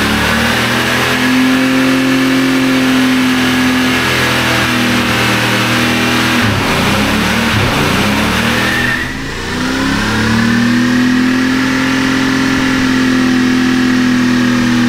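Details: 1957 Chevy wagon, believed 327 V8, freed from a stuck engine after sitting for years and run with little coolant: revs hard and pulls cleanly through throttle blips, even firing, no knocks or misses; running healthy.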